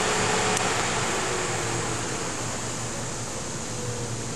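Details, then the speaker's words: 2004 Chrysler PT Cruiser with overheating problem, radiator cooling fan wired directly to battery: steady air whoosh and constant low hum, no rubbing or bearing noise; fan motor works, apparently low side. "Okay, I got the cooling fan connected to the battery. It has the same fan motor works."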